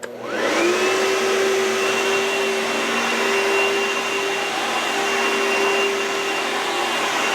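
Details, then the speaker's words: Oreck vacuum bench test after replacing the magnesium fan assembly and refitting the intake tube; motor spins up fast into a steady high whine that holds even, no rattle or scraping: normal running after repair. "Now to make sure everything's working okay, now you can do a bench test if you will."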